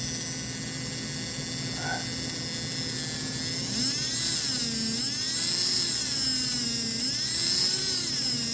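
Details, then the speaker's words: American Flyer AC Alco diesel model-train motor converted to DC with 3D-printed fields and permanent magnets, not yet lubricated, about 1.2 A at 8 V. High, thin whine wavers with speed, with a faint rough edge. Owner suspects misalignment. Motor noise. "I mean, I'll lubricate it, but I can hear a little noise, and it's possible I got some misalignment."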